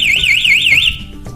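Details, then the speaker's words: Kawasaki Ninja 250 with an aftermarket anti-theft alarm: a warbling siren sweeps up and down, then cuts off; with the alarm active the engine cannot be started until disarmed from the remote. "akan tetap aktif motor pun tidak akan bisa dihidupkan kecuali kita matikan lagi dari remote"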